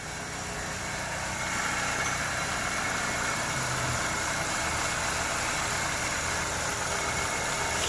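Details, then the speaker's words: LPG car with a structurally modified dual-spec fuel system, which shook badly before: restarted after a makeshift soldered repair with an interface coil on the injector; it now idles steadily with a faint hiss, only normal engine vibration. "엔진의 떨림은 뭐 지금 기본적인 엔진 떨림 외에는 지금 크게 떨리진 않아요."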